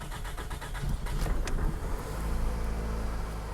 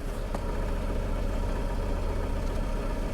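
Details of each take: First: 2006 Toyota Camry that ran rough with vibration and bogging, first start after new ignition coils and spark plugs: catches quickly and settles into a smooth, even idle with the vibration gone. Normal idle after repair. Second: 2006 Toyota Camry running rough, bogging on throttle, heavy vibration: low, uneven idle with a stumble roughly every quarter second; scan shows a cylinder 3 misfire, rough idle.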